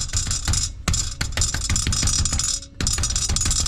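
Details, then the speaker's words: Supercharged Pontiac Bonneville SSEi with 3800 engine, tapping the catalytic converter on a 4-year-old ZZP downpipe: loose tinny internal rattle; owner suspects a loose piece or the cat coming apart; exhaust rattle. "It literally sounds like something like a nut is loose in there. And, or the cats come apart. Or the cats come apart."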